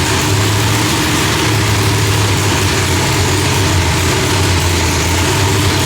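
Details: Loud, heavy V8 rumble holding a steady, settled idle with no pops or backfires, after the distributor trigger was corrected from rising to falling to end fireballs; timing was about 6° off; new heads, idle still being tuned.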